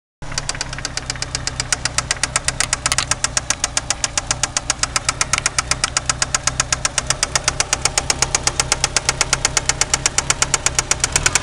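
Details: 1993 Eagle Talon turbo, stock 7-bolt 4G63: sharp even metallic knocks, about four a second, at idle; confirmed spun connecting rod bearing, with play found between rod and crankshaft after removing the oil pan.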